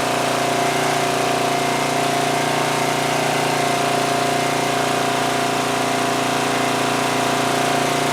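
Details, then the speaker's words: 2002 Coleman Powermate 5500 generator after carburetor cleaning and motor mount repair, engine speed backed off because output was 135 V, now about 120–121 V: steady, even drone at constant speed with no hunting. Normal running. "all right so with that I think we adjusted the engine speed adequately it was down to 120 121 which is fine I think that's good I don't want it to run too slowly"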